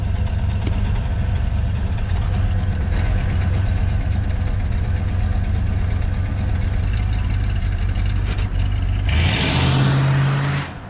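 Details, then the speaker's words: 302 V8 truck, carburetor tuned and new throttle return spring fitted, revs snap back with none hanging: steady deep idle with an even lumpy burble, no knocks or misses; normal idle. "there's no hanging revs and now she's dialed just listen to a prayer"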